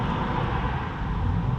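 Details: 2010 Fiat Panda 4x4 1.2 8v petrol after the misfire was fixed by reconnecting the spark plug wire: small engine idling smoothly and evenly with no stumbles or missed beats.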